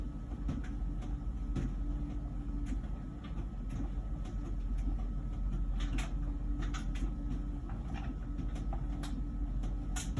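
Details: About a year old LG Wash Tower WKHC202HBA heat pump ventless dryer: low steady rumble with soft thumps about every second as the load turns, before the new buzzing appears; drum tumbles normally.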